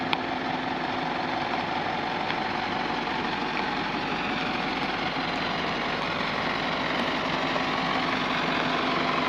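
Steady, even diesel running with a constant hum and no knocks or misses; the lorry is healthy and idling smoothly.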